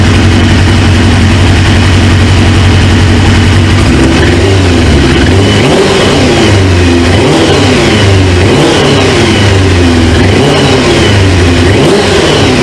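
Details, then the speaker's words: 1999 Suzuki GSX-R 750 four-cylinder with a newly installed used engine, first start: clean blips, revs rise and fall smoothly, even exhaust note, no knocks; sounds good, though a fuel leak at the high-pressure line quick-connect, O-ring suspected. "I seen a drip and then it starts smoking but other than that man this thing sounds good"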